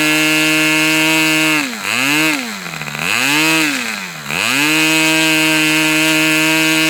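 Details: Customer's Fox twin-cylinder glow engine on probably its final run of the day, outdoors as it cools off: crisp high-pitched buzz, steady, dipping briefly three times and climbing back cleanly; both cylinders firing evenly, healthy twin.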